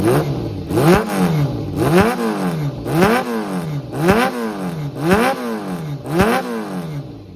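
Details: Kawasaki ZRX400 (ZR400E) running engine, start-up check: repeated throttle blips rising and falling cleanly with no clatter or knock and no white smoke; revs freely, healthy.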